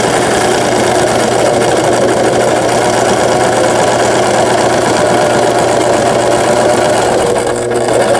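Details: Brother XL5500 sewing machine after a full repair for a bent needle bar, sewing a rolled hem on thick fabric. Steady, even motor hum with a fast, smooth stitching patter and no knocks or rattles; running normally.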